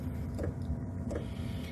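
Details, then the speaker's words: 8 kW 12 V all-in-one diesel air heater running off a 12 V car battery: pump clicks, then it fires up into a steady low fan hum with soft pulses and air flowing. Normal fan startup. "Okay, seems like it fired up. I can hear the air here."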